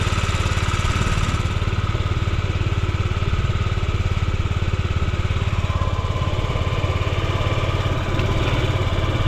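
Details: Yamaha Gear scooter (UA08A) running: quick, even putter of three or four beats a second, no knocks or rattles, quiet engine, normal idle.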